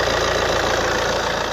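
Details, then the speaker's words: Alfa Romeo, well-kept with good coolant and correct oil level and colour, idles evenly with a regular low pulse, no knocks or misses and no excessive smoke; running smoothly. "So early indicators are, like I say, that this has been a well looked after car. She's running and sounding sweet, as you can hear."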